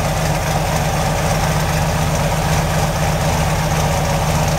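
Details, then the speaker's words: Chevy truck with 383 stroker V8, mild cam, Hooker full-length headers and Hooker Turbo dual mufflers, idling around 850 rpm after cold start, recorded at rear; deep even burble, no misses or ticks, healthy. "I was pretty smooth didn't have much of a cam and there's pretty small fan they're too big shot Olivia listen daddy's off like I said it's a hooker turbo mufflers the hooker dual exhaust and full-length headers"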